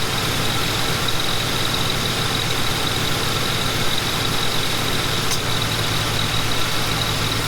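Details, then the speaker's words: Ford Panther-platform car (Crown Victoria/Grand Marquis/Town Car type) that had been blowing hot, idling during refrigerant recovery at 2 lb 6 oz; steady idle with faint click as AC compressor clutch engages, cycling normally, enough refrigerant. "One thing that I have noticed is that the AC compressor is kicking in and out. The clutch is kicking in."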